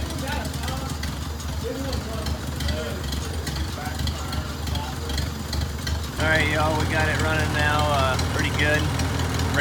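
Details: 1949 Farmall Cub with all-original engine and magneto, rerun after carbon and oil were cleaned from the head and the radiator refilled, to clear smoke. Steady, even low chug with no knocks or misses: running normally.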